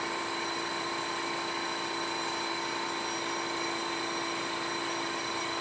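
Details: Fujitsu split-system air conditioner outdoor condenser on a sturdy, level steel frame, running with a constant loud whoosh and several steady tones. It is unusually noisy; the factory blames the frame/shelf or the installer's wall and ceiling setbacks.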